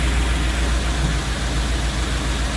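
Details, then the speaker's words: Jeep V8 with new exhaust: low, even idle burble, no stumbles or shaking; owner notes slight smoke, maybe running a little rich. "Fuel pump kicks right on and it just starts up and purrs. She sounds good now. No issues whatsoever."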